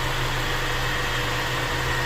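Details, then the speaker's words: Honda Civic EF sedan (1990-91 EX) after valve adjustment removed the tick; rough idle traced to retarded ignition timing, now advanced, giving a smooth, even, healthy idle with no misses or stumbles, like a brand new engine. "So advanced it, or brought it up to speed. And she's just purring like a kitten. I can't tell you how amazing this sounds."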